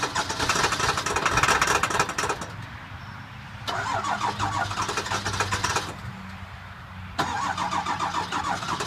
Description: Cold, hard start of the 7.3L F350. Has bad injectors. Been sitting for about a week